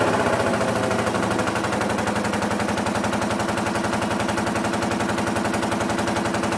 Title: R65 Rough running/misfire